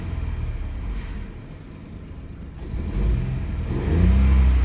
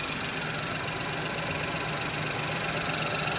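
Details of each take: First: 2017 Ford Focus 1.0L three-cylinder turbo, 6-speed manual, slow to reach temperature: smooth rising rumble when revved, faint tiny-turbo spool and blow-off audible, quiet as expected; normal turbo spool. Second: 2017 Ford Focus 1.0L EcoBoost three-cylinder with a 6-speed manual, warm at idle: a steady, slightly lumpy beat of about four pulses a second under a hiss. Each coil pack bogs the engine when pulled, so all cylinders are firing, yet the engine rocks; rough idle, cause unclear.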